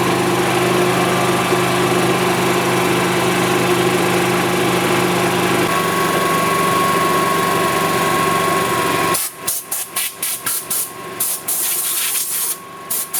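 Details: 1999 Club Car DS gas golf cart after a carb clean, fuel pump replacement and draining cloudy contaminated fuel for fresh gas: the single-cylinder engine runs at a steady, even beat for several seconds without stumbling. Fuel delivery is sorted.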